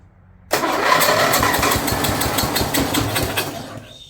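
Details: Snapper rear-engine rider, Briggs 12 HP I/C single, abandoned for years, brand-new carburetor leaking fuel, choke open, blade turning when it shouldn't: revs unevenly, surging and stumbling about three seconds then dies; owner suspects the carburetor.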